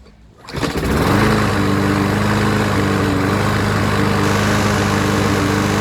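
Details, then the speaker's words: 2003 Toro Recycler push mower restarted warm, first start needed starting fluid because of a faulty primer. Steady run with a faint uneven beat, a slight miss. Owner believes it is still running old gunk out of it and will clear. "yeah see it's still got a slight miss but that's because it's running all that crap out of it once it does it'll be fine"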